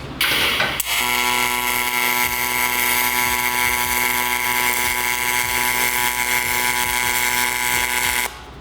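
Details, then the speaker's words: Miller 30A spool gun on Multimatic 255, pulsed MIG on heat-soaked aluminum, turned down to 40: steady buzzing hum with fine crackle, no pops or sputters; calm stable arc, wire burning off closer to the material. "seemed a little more calm it was I mean it's almost imperceptible but the um end of the wire burning off was closer to the material"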